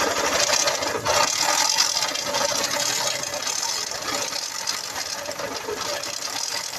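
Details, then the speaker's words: 2004 Honda CG Titan 150cc idling: busy metallic rattle and rumble with a noise at the clutch bell. A bearing is suspected: crankshaft, clutch bell or balancer bearing, not yet confirmed. "de rolamento ó e ela também tem um barulhinho na Campana ó aqui é rolamento ó certo onde é esse rolamento pode ser o rolamento vira brequinho pode ser o rolamento da Campana pode ser o rolamento também do balanceiro certo"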